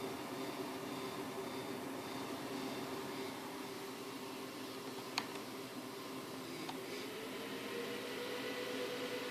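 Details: 7950 graphics card fan: steady airy rush with a faint wavering tone underneath and an odd tick or two; strange fan sound, cause unclear.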